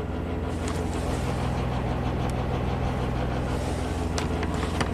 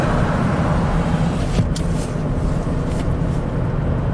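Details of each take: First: 2009 Chevy Traverse V6 GDI, 190,000 miles, 40,000 miles after a timing job (P0018); stumbling, power loss, misfire codes on all cylinders; Bank 1 VVT command stuck high, 20° variance; drone with metallic rattle on revving; suspected timing chain/phaser rattle. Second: 2009 Chevy Traverse V6 GDI, 190,000 miles, test drive after an oil change: smooth, even engine hum under road noise with no rattle or misfire; VVT variance stays under two degrees. Earlier misfires on all cylinders and timing codes were traced to neglected oil.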